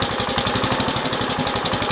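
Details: 1969 Gravely 432 tractor, rebuilt original single-cylinder engine, after about half an hour running: crisp, even, steady fast firing, no knocks or misses; runs smoothly but dies out, fuel pump suspected.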